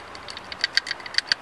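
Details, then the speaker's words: PCV valve removed from a 2004 Jeep Liberty Limited 3.7L V6 during valve cover replacement for an oil leak, shaken by hand: light, crisp, unevenly spaced clicks as the check ball rattles freely; valve sounds okay, no rattle would mean replace. "it does sound okay usually if you don't hear that sound in there it has to be replaced"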